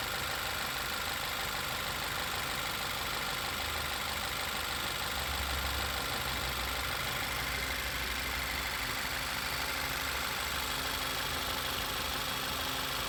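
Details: 2012 Volkswagen Passat TFSI idling steadily with a thin constant high whistle; failed PCV valve raising crankcase pressure, with rough idle, misfire, lean codes P0171/P0174 and oil leak listed as symptoms.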